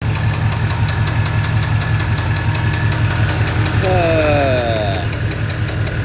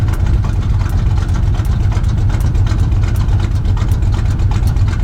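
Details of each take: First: Truck engine at idle with a dropped lifter (lifter failure): sharp, rapid metallic ticking from the top end, about 160 per minute, over a rumbling V8 idle. The top end is to be torn down to check the lifters and cam bearings and to replace the camshaft. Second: Truck V8 after swapping to an oversized camshaft following a lifter failure: deep, lumpy idle with an even lope about three per second and no knocks or misses. It has a stock torque converter and 700R4 and now burns a lot of oil.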